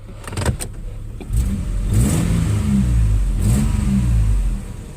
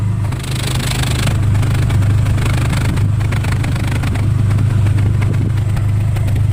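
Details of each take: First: Nissan Xterra 3.3 after replacing the bad injector that caused the P0306 cylinder 6 dead miss: deep engine note swells and holds through a rev, even with no stumble or skip. Running cleanly on all cylinders. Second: Nissan 3.3 V6 with code P0306, warming up, heard at the tailpipe: loud steady exhaust drone at idle with uneven low puffs and popping as cylinder six starts to miss; misfire traced to a faulty fuel injector.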